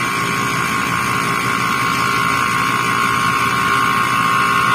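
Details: Freezer not cooling, manifold low-side gauge not dropping after start (about 6.3): harsh loud buzzing hum that grows steadily; suction pressure stays high, compressor runs but fails to pump, suspected internal breakage.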